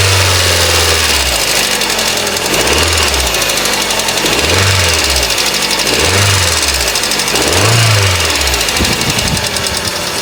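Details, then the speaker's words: Cold idle on a scrap-price Hyundai Accent gas engine, 127,000 km, fresh oil change, timing belt likely due: hard fast diesel-like ticking clatter over a slow surging hum, source not pinned down; sounds like a normal Hyundai once warmed up. "But if I fix the car, whoever I sell it to, it really can't sound like a diesel engine every day when it's a gas motor."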